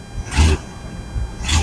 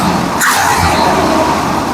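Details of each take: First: 1965 Ford Mustang, mostly original, not run in over 2 years, rough on a driveway run, needing a tune-up: deep V8 rumble with two sharp raspy brappy blats, suspected exhaust leak. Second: 1965 Ford Mustang, original engine, not run in over 2 years, after fuel pump replacement, Seafoam, fixing leaks and adjusting air-fuel mixture: steady even idle with no stumbling, hunting or hiss; runs night and day better, normal idle.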